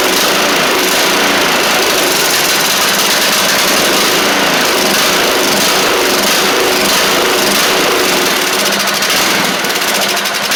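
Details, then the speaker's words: Troy-Bilt TB42 rider, Powermore 541cc engine, running on old gas: loud buzzy note with a slightly lumpy, wavering beat instead of a clean even run; good compression, but the carburetor needs cleaning. "So, it does sound like it needs a little bit of a carb clean or something along those lines, but the good news is it sounds like it's got what it needs. Good compression and everything."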